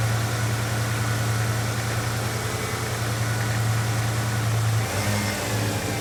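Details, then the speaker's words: 1990 Ford Bronco Eddie Bauer V8 after replacing ignition module and distributor pickup coil for hard/no start, fires up nicely into an even smooth idle, no misses or ticks. Normal idle. "all right guys so she fires up real nice sounds healthy idle's really good"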